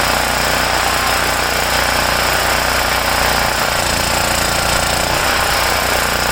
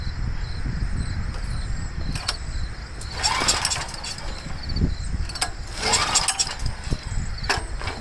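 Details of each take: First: Homelite generator, 389cc Honda engine, after repairing no-start from poor fuel flow and dirty carburetor (ripped carb base gasket not replaced); loud busy single-cylinder chatter at steady speed, no surging or dying: running properly. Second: Homelite 389cc generator (Honda engine) that would not start; two rough pull-cord bursts turn it over without firing, carburetor mounted with only two nuts, gas on, choked. Fuel starvation from poor fuel flow and a clogged, dirty carburetor.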